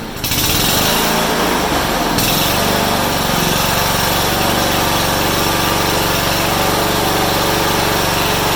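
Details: Honda HRU196 mower after carburetor cleaning, reassembly and a fix for a long-standing fuel restriction: fires up and holds a strong, high, even buzz at full revs without surging or stumbling; runs better and harder than in a long time.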